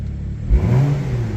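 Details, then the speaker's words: Crashed BMW M2 after reconnecting a deliberately unplugged wire under the engine: a quick, deep, smooth throttle blip now running on all six cylinders instead of five, though a drivetrain fault warning remains. "Sounds like a different car. It doesn't sound as good to be fair. Um, now we're running on all six cylinders and not five."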